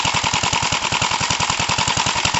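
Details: 1968 Gravely C8 single-cylinder after machine-shop cylinder work and magneto points cleaned and adjusted to fix no spark, test run: crisp evenly spaced pops about eight per second; normal running.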